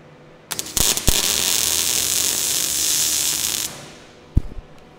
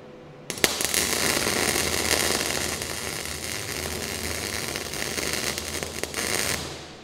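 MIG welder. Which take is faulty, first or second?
second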